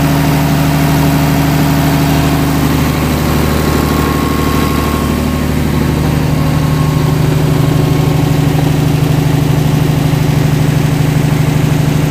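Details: DC-control diesel genset with an actuator replacing the solenoid, speed controller fed by a magnetic pickup (MPU); steady low drone with constant hum, slow even idle before settling toward rated speed; normal run.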